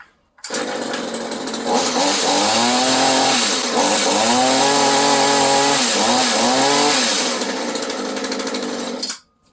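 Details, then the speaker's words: Echo HC 2020 hedge trimmer that had no power, after cleaning a clogged spark arrestor and fitting a new spark plug and air filter: crisp two-stroke buzz climbing cleanly to high revs without bogging; normal revving. "So another spark arrestor incident. So check your spark arrestors if you're wondering why you don't have any power."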